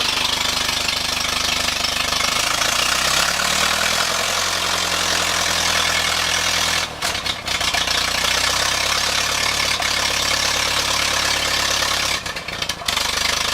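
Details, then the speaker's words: Ferguson TEA 20 tractor idling: uneven lumpy idle with occasional deep-toned pops back through the air cleaner, worst near the end; owner suspects carburetor or governor setup, cause unclear. "Yeah, I just want to start this up and see if anybody's got any comments on this popping sound that I get. Sounds like it's coming up through the air filter."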